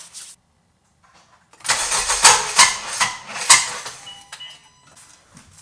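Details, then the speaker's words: Honda Civic Si, custom build, cold start after sitting about three days, already acting up: slow labored cranking, then rough uneven catch with sharp squeaky bursts; very unpleasant hard start, cause not yet diagnosed. "not a pleasant sound at all that was very very unpleasant"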